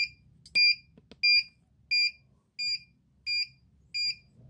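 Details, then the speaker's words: Arduino ammonia detector for chicken coop (MQ135 sensor, 16x2 LCD, fan) sounds sharp steady buzzer beeps about 88 a minute; reading spiked to 400–500, dangerous, after liquid was applied, then falling 160, 140, alarm above threshold. "Jadi values berbahaya, nilai sangat berbahaya bagi kesehatan tubuh manusia. Saat ini menurun 160, 140. Oke, buzzer akan saya tutup karena suaranya terlalu keras."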